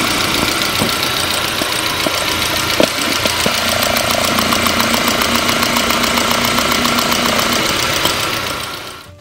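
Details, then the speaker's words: Car checked for fuel pressure loss: rapid, even, steady injector ticking heard through a probe. It matches the other three injectors, so all four are in good shape. "all four of these injectors are in good shape but let's go ahead and listen to all four so you can hear the consistency"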